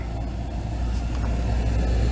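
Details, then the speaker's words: Blower motor on a vehicle, just after the blower and resistor connectors were spliced and replaced, with the battery reconnected. On cold air, face vent: a steady, even low rush of air with no squeal, ticking or rubbing. This is normal blower operation and a confirmed fix. "It's running. And you can feel it in your face. Oh yeah."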